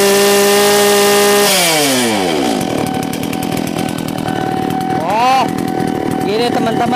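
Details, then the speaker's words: 381 chainsaw engine with bar removed: steady high scream at full throttle, then smooth drop to an even clean idle; normal full-throttle run, runs strong and healthy. "ragu-ragu ya kalau kita gaspol mantap sekali"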